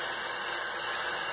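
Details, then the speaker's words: Harbor Freight Central Pneumatic 95275 3-gallon oilless 100 psi compressor: steady, even hiss of air escaping the open tank fitting, showing the tank holds pressure; pressure switch has no continuity and needs replacing. "you can hear that there's air in the tank so it doesn't get any simpler than that I just need to replace that switch"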